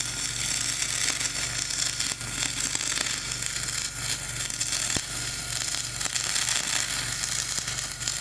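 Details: Dual-shield flux-core welding on a preheated outrigger pad, voltage up half a volt, Trailblazer one notch up on rpm: a continuous hissing crackle with uneven pops and sputters, not a smooth sizzle; a rough arc over a ropey stick weld giving a poor weld.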